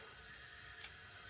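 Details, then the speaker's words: Honda RSX Type-S engine on leak-down test, cylinder reading 30 versus 100 gauge: steady sharp air hiss through second spark plug tube; owner suspects badly leaking cylinder, not confirmed. "and you guys hear that hissing so a little bit of air is coming from through the second spark plug tube"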